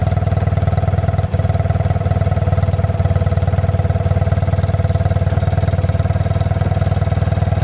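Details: 1972 BMW R60 twin idling: a low, even thump at about four beats a second with no knocks or misses, a healthy idle. The clutch is at the end of its adjustment and slips when cold but works warm.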